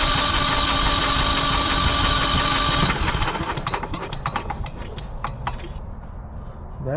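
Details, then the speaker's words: Generac 24kW generator compression test, gas off, cranked manually with the gauge on the front cylinder: the starter spins fast and very light, about four beats a second, then winds down. The gauge read nothing, so there is no compression in that cylinder. "one did absolutely nothing so now we're going to go ahead and hook it up to the back"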